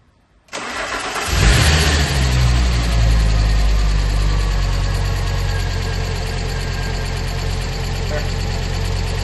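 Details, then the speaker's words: Fiat Coupe 20v Turbo Plus first start after cam phase sensor failure traced to exhaust cam pulley, new cam belt and kit fitted, auxiliary belt and lower pulley guards off: brief crank, then steady, even low idle, no knock or misfire. Normal start and idle. "Oh, she is again. Oh, she is again. She's alive."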